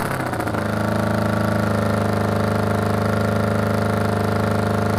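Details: 1981 Honda CB750 cafe racer with exhaust packed with fiberglass: steady, even beat at about four pulses a second after startup; idles smoothly with a muffled exhaust.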